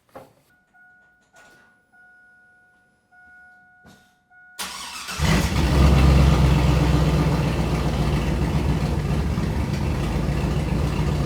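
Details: Shop truck V8 just fitted with a Truck Norris NSR cam, microphone by the exhaust, first start before tuning: a few clicks, then it cranks and catches into a loud, lumpy, uneven idle running super rich; a tune is planned.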